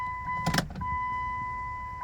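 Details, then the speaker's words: 2000 Chrysler Sebring after fuel pump replacement, key-on priming heard from the rear tank: brief clunk, then a clean, steady high whine that holds evenly without surging; the new pump primes normally and the car then starts. "I hear it back there. I'll prime her a few more times."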